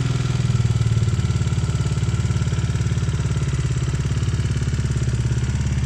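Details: Bajaj Dominar 400 UG 2020 single-cylinder at idle at 12,000 km: rapid regular ticking over the idle thump, valve train clatter from cracked valve guides blamed on poor cylinder head material; an exhaust valve later broke.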